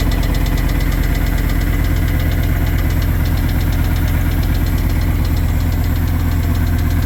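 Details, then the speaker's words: Engine ticking at idle on first start after bearing change, with new 0W20 oil, oil pressure present, plugs and coil-overs fitted, no serpentine belt yet; steady idle with a light quick tick about three a second, source unknown, owner hopes thicker oil may help. "Got oil pressure. Still ticking. Isn't that awesome?"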